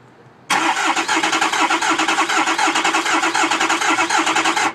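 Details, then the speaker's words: Ford 6.0 with a misfire, cranking with the key off: lumpy cranking beat with one stroke per cycle lighter than the rest, uneven starter load; low-compression cylinder, a base engine problem. "If all the cylinders were even, the stress on the starter would be consistent with the battery would have a cranking. But with it doing the we know we have a base engine problem."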